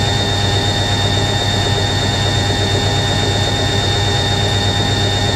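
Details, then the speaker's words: Newly acquired washing machine spinning at 500 RPM; motor sounds slightly deeper than an A3060 and drum is stable: loud steady spin roar with a thin, constant high squeal, probably from the motor bearing (suspected, not confirmed). "that's 500 RPM new list is screeching from the motor bearing probably"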